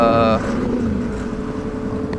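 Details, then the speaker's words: Motorcycle while riding: strong engine tone cuts out abruptly within half a second, leaving only road and wind noise; sudden total power loss, briefly unable to change gear, cause unknown. "that doesn't sound good all right lost all power this is not cool"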